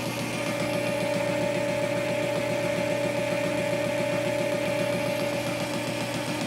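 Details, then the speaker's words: Boring a drive sprocket on the lathe with a steel bit and boring bar at a slow feed rate, finishing passes. A steady tool hum with an even light knock, two or three a second, as the bit crosses the keyway: a normal interrupted cut. "you can hear that interrupted cut from the icky way"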